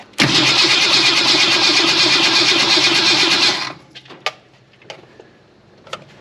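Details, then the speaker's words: Ford Falcon wagon parked 38 years, new fuel system with electric fuel pump: starter cranks fast and steady about three seconds, faint ticks of the pump running and delivering fuel; cranking with electric fuel pump running. "Forgot how happy that starter is. Oh, it's pumping."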